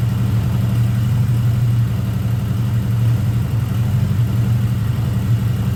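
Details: 1979 Honda GL1000 Gold Wing flat-four just after valve seal replacement to fix excessive smoking: smooth deep even idle with constant low hum, no stumble or tapping; normal idle.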